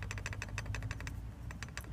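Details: SsangYong at idle with a rapid, bright jingling rattle, about eleven clicks a second, with one brief pause; it persists after a tensioner change and comes from the power steering pump, usually the worn splines of the pulley shaft.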